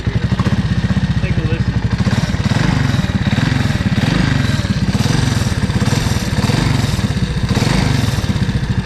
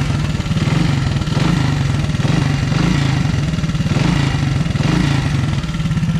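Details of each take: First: Honda ATC 200S single-cylinder at idle with throttle blips: a light ticking rattle that swells with revs, seeming to come from the clutch-cover side; timing chain adjusted, top end and piston fine; owner suspects the CDI. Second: Honda ATC 200S three-wheeler single-cylinder, after swapping a part to cure a top-end tapping noise (timing chain already adjusted): even beat swelling with throttle, only light valve tick left, tapping gone. Normal running.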